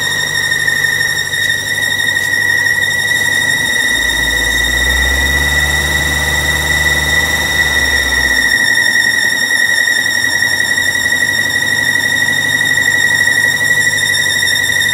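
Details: 2006 BMW 750i at idle: constant high-pitched squeal riding steadily over the engine without changing pitch; owner checked the belt and says it isn't the cause, source unidentified.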